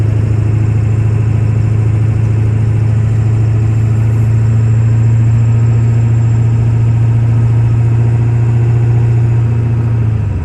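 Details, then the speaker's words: 1997 Ford F-250 4x4 with 7.3 Powerstroke diesel, about 125,000 miles, four-speed automatic, accelerating uphill: deep, steady drone pulling evenly through gear changes, no knocks, misses or whine; healthy engine. "we'll take off and head up the hill so we can hear the 7-3 run as well as put the automatic four-speed transmission through all the gears so you can hear for yourself how there's no issues with anything on this truck at all"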